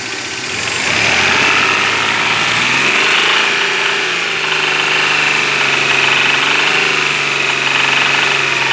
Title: Стук в двигателе